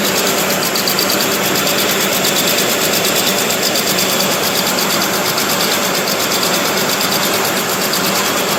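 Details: 2008 Chevy Trailblazer started after sitting: rough idle with a sharp ticking puff over the engine note, loudest in the upper range, from an exhaust leak; a coil pack is also possibly bad.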